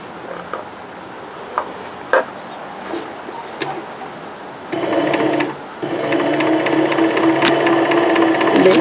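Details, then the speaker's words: Newer sewing machine winding a bobbin: after a few handling clicks the winder spins up to a smooth, even, quiet whir with no rattle and the needle stays still; normal. "So, here you hear the rattling sound of the machine when you're using your bobbin spinner and this one, it's quiet and the needle is not bob not bubbling up and down."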